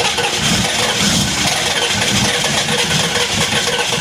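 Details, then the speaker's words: 1993 Chevrolet K3500 6.5 turbo diesel dually cold start at 20°F (-6°C), after radiator and harmonic balancer replacement: harsh clatter and busy, even idle, no stumbling or dead cylinders, heavy smoke; normal cold start. "yep that's a smoke show"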